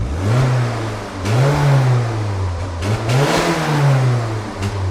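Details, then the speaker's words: Citroen BX 16V: revs hunt and stumble, dipping and surging; misfire appearing electrical with rev counter erratic, suspected bad earth terminal at stripped bolt. "We've got a misfire and now it's electrical. Rev counter's going skits as well."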